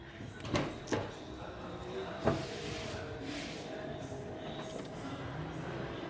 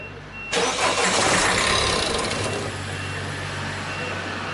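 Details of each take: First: Peugeot 3008/308 diesel after injector cleaning and bench testing and replacement of the rail pressure sensor: clicks and handling, then the engine cranks and catches into a steady, even run; normal idle after repair. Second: Peugeot 3008/308 diesel whose engine note changed to knocking on the motorway, before injector removal: engine catches and settles into a sharp, rhythmic clatter of about 3.5 ticks a second over the idle; injector knock.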